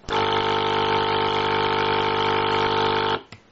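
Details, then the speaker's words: EasyAir air mattress pump, mains AC vibrating rubber plugs, opened up: loud steady mains buzz with rich even hum for three seconds then clean cut-off; louder than expected, working normally. "that's pretty loud I was actually quite apart by that because like it seemed quite quiet from the outside but apparently it's all concealed by this we believe hopefully stuff to prevent vibration which is actually a good thing"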